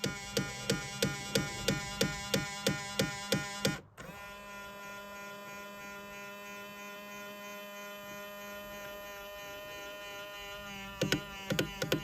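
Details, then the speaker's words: 2000 Ford Explorer XLT 4WD driver-side power mirror while being adjusted: sharp clicks or bangs about three per second with a thin hum between, something slipping in the mirror drive. "well hope you enjoyed this video of my of the driver side mirror making a uh like a like a uh like a clicking or a banging noise"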